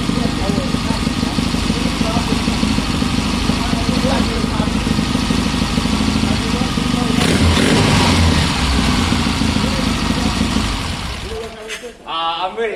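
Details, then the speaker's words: 1972 Triumph Bonneville twin, 50 years old, started after three weeks sitting, takes three or four minutes to warm up: fires up and settles into a steady, even beat with clean pickup and power through the rev range; runs healthy. "that honestly that that's so smooth that's well I say smooth it's 50 years old but it's got power in all of its rev range"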